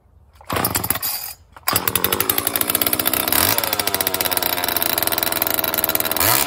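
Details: Homelite XL chainsaw after a carburetor rebuild and new fuel and oil lines, started cold on choke on the first pull. Crisp, rapid, even two-stroke buzz at a steady rev with no misses; the chain oiler pumps after a minute.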